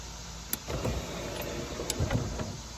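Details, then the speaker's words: C4 Corvette pop-up headlight motors after battery reconnected: quick clunk then a couple seconds of even electric whirring as both headlights rotate up smoothly, no grinding; normal operation. "fellas we got a result both lights have just rotated"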